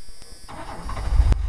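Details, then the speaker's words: GMC truck starting and running on wood gas from gasifier, fuel injector fuse pulled, mixture possibly too lean: brief cranking, then engine catches with low rumble settling into steady run; engine starting and running. "ah it did it worked I'm running on wood my truck is running on wood"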